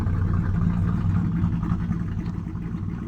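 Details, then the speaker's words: V8 after valve adjustment and new valve cover gaskets, driver's side previously faulty, idle raised and not yet warm, mic low near exhaust: deep even burble with no ticks or clatter; normal healthy idle. "i know but at least with the idle raised right now even from where we left off at this is already idling ways so the drive train definitely needed the valve train definitely needed that"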